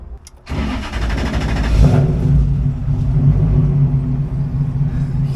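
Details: 1UZ V8-swapped Nissan S13 240SX convertible drift car that had not run in two years: starter whirs, then it catches and settles into a smooth, deep, even idle. Normal start after a hidden bad ignition relay was jumped.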